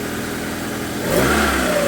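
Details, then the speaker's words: Car just restarted after the cylinder head was removed and repaired. A slight misfire at first clears itself, then it runs steadily and revs cleanly and evenly with no knocks or rattles. Oil is circulating and the engine sounds healthy. "Clear itself out. It's running good now. Perfect."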